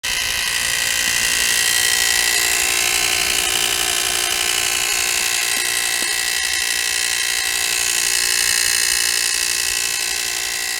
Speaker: So I got a crazy sound from the engine. So that definitely sounds scary. I thought it was really loud.